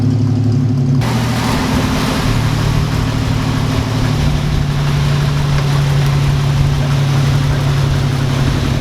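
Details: 1946 Studebaker M5 pickup with AMC 258 six, spring cold start after storage: the engine catches after a second and settles into a smooth, steady idle with a low, even hum; running healthy.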